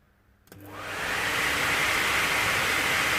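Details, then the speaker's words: Peugeot 107 heater blower motor, reassembled after cleaning and removing a glove that had been dropped inside and stopped it: spins up smoothly to an even, steady whoosh with no scraping or ticking; normal blower running. "we go it's running absolutely perfect there's no need of spending money on a new one"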